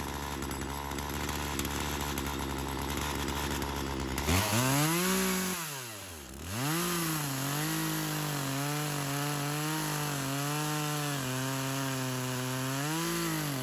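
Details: Craftsman chainsaw, unknown model, that sat for years, first run: revs high, then pitch sags hard and wavers back up while cutting wood, bogging under load. It cut well but clutch engagement is a problem, more fuel added; owner suspects a slightly stuck ring.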